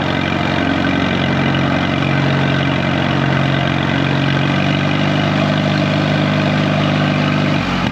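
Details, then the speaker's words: 1936 Allis Chalmers WC tractor barn find, first drive in decades, water spilling from the radiator: a smooth, even low rumble with steady firing and no knocks or rattles; the engine purrs and sounds good. "Man, listen to that thing purr."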